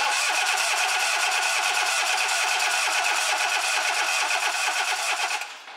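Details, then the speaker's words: Four-cylinder engine cranking on the starter with number one spark plug removed during a relative compression test; steady cranking about three beats a second with a lopsided rhythm, one compression hump missing each cycle, from the cylinder without compression. "now hopefully you heard the difference in the engine sound so let's Zoom back into this wave file now can you see any difference we're missing a hump here"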